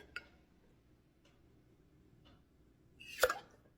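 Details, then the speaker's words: Pressure-canned jars after cooling, lid tapped during seal test: a single sharp clear ping with no dull thud, all jars properly sealed. "that's exactly what you want to hear that's fantastic beautiful seals on all of them it popped the little piece back out I'm sure you heard there we go all of them sealed perfectly"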